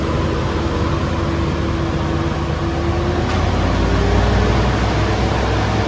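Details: 2010 Toyota Innova 2KD diesel after the repair, no DTC, feedback good at about 30 kPa dropping to about 28: a steady drone rising evenly as it is revved, with no knock, miss or rattle; normal free revving.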